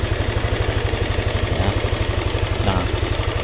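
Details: Yamaha NMAX scooter with rough engine sound, suspected cylinder head; steady idle with regular tapping about four times a second, changes when cam chain tensioner adjusted, valve clearance to be checked; valve train ticking.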